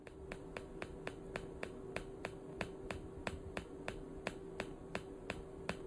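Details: PEMF 120 pulsed electromagnetic field unit running: crisp, evenly spaced clicks, about three to four a second, over a faint steady hum. The pulse unit is firing normally.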